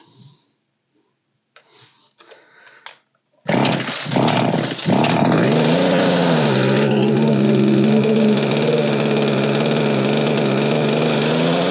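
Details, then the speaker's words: Old Poulan 3816 chainsaw (16-inch bar) during carburetor tuning after repair: fires after a couple of pulls and settles to a buzzing run that wavers; high-speed set roughly, low-speed mixture still off and idle too low. "right still working on the low now I think I got the high about there that load still needs to go in my idle is too low so I'm going to raise my idle in"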